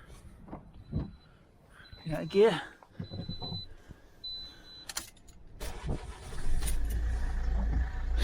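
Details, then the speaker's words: Ford Cougar back from MOT repairs, belt ruled out, earlier screech suspected from a sticky alternator: quiet spell, then cranks and catches cleanly into a steady idle with no belt screech; normal start. "starts with that sound no problem at all I wonder if she just had a sticky alternator for a moment or two it's actually starting fine"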